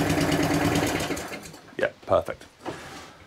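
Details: Atco Balmoral cylinder petrol lawn mower after drive repair for grinding/no-drive: engine runs smooth and steady with drive engaged, no grinding or catching; drive working normally.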